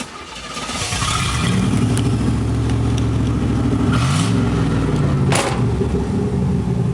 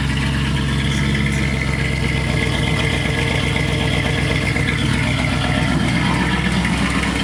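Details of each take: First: 1986 Chevrolet Camaro IROC-Z, exhaust pipe broken where the Y-pipe forks (failed while pulling away from an intersection): loud, raw, blatting exhaust roar from start-up through idle, rasping harder on throttle blips; exhaust leak ahead of the mufflers, to be welded. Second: 1986 Chevrolet Camaro IROC-Z after welding the exhaust pipe broken at the Y-pipe fork, first start: steady, even idle with deep low rumble, no puffing or ticking; exhaust sealed and leak-free, normal idle.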